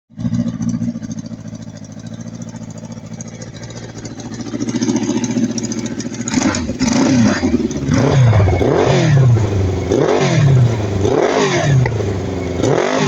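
Engine revs up and down in rising and falling sweeps with an uneven, stumbling beat underneath, consistent with a misfire.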